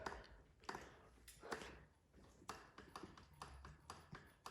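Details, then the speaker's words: Juiced Bikes HyperScorpion e-bike front suspension fork whose lockout failed, going from fully locked out to no lockout with growing play: irregular hollow clunks and pings from inside the fork each time it is pushed down, from loose internals. "That noise is coming from inside the forks."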